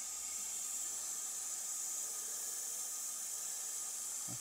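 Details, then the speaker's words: Leak-down test on a Chevrolet Corsa with overheating and power loss: steady high airy hiss as the cylinder is pressurised, air escaping into the adjacent cylinder and pressure dropping at once; blown head gasket. "pero está malo por acá está botando todo el aire y vean como de una vez decayó la la presión de acá"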